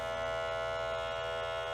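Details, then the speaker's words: 1998 Sony Mavica MVC-FD51 digital camera, 3.5" floppy drive before repair: steady buzzy whine with faint low pulsing from the small drive motor; the drive spins but fails to read the disk, cause not yet known. "but the floppy Drive is completely borked so let's take this apart and see if it's fixable or if I'll just end up with a pile of screws and components I can't put back together"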